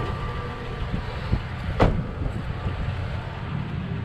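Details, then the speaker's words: Toyota Tacoma TRD Sport, heard at the exhaust at idle: low, even rumble with a gruff, diesel-like, almost cammed sound but steady rhythm; owner says this idle clears carbon buildup; normal idle. "it almost sounds like it's cammed out that's what yeah the sound is very similar to like a cans like oh"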